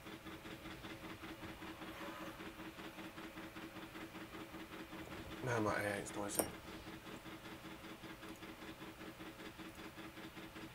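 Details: 3D printer printing during a live stream; steady whirring motor tones with quick uneven pulsing from the moving axes; runs loud, no specific fault evident.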